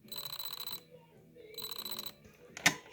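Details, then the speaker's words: RC rally car motor after a rollover crash, ESC shows solid red light, running on two 5800 mAh LiPos in parallel: short buzzing whine bursts with quiet gaps as it tries in reverse and cuts out; motor stuttering. "when i squeeze the trigger you can hear something going on so it's trying to do something and we can see a solid red light on the esc we can hear it as well"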